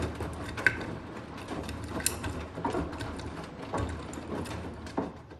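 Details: Blomberg Rapidjet front-load washing machine: a steady low rumble broken by sharp knocks about once a second, the drum knocking loudly, especially on spin. The noise has returned.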